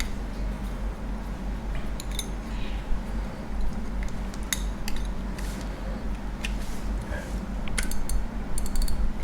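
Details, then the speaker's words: Daiwa Revros LT 4000/6000H reel after modifying the drag clicker to fix a faint click: sparse sharp clicks over low hum as line is pulled; click now louder and clearer than before, though not ringing. "มีเสียงก็ดังขึ้นมานะครับก็ชัดขึ้นมานิดหน่อยนะครับแต่ไม่ถึงกับว่าดังก้องกังวานนะครับแต่ว่ายังดีกว่าที่ไม่ได้ยินเหมือนเดิมนะครับ"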